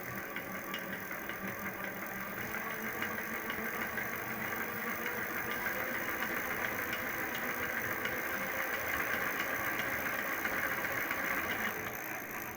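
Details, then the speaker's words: Electric hub motor wheel under gentle throttle, fault linked to winter use in low temperatures: rapid, fairly even tapping about four per second over the motor, silent when throttle released; something inside the hub knocking, cause unconfirmed. "Когда вот газ даешь, все, газ сброшен, тишина. Чуть-чуть газку, и вот начинается стук."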